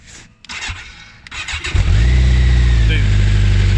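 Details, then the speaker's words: BMW K1200 motorcycle after fuel pump relay rewiring, first start from cold: catches straight away after a short crank and settles into a steady, even idle with no misses; healthy start. "And that's first start from cold from last night, I think it was, 2 nights ago. So she's running fine."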